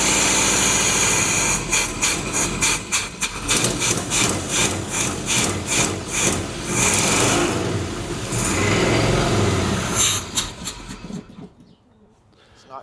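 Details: 1976 Chevy half-ton after a new fuel pump was fitted: rhythmic cranking at about three beats a second that never catches; fuel isn't entering the carb, suspected plugged carb inlet filter or stuck floats.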